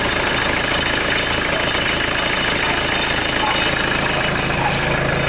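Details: 1996 Mitsubishi Delica L400, 2.8L 4M40 diesel, first start after head gasket replacement with a pressure-tested head: even diesel clatter at a steady idle with hissing in the background. Runs cleanly with no misfire or knock.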